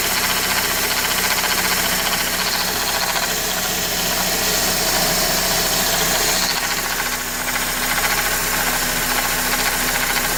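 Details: 2003 Honda Accord idling with a fast, light metallic rattle in the engine bay; recently replaced belt tensioner, power steering and alternator ruled out, owner suspects water pump shaft bearing.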